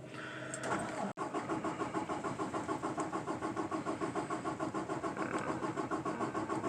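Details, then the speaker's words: 2018 Peterbilt 579 diesel after about 24 hours sitting, shop-replaced priming pump: steady starter cranking at about 200 beats a minute with no catch, third attempt. Chronic hard start, owner suspects lost fuel prime; cranking no start. "don't think it's gonna go may have to prime it nope nope I only got it alright so that was the third attempt"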